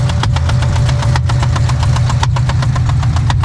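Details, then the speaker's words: C6 Corvette Z06 V8 with about 15,000 miles and built heads and cam, idling after hard pulls on back roads: sharp, regular tick-knock over the low rumble. Owner suspects knock, misfire or exhaust leak; cause unconfirmed. "Literally. I don't want to say the word, but it's like a knocking noise. Bro, what is that?"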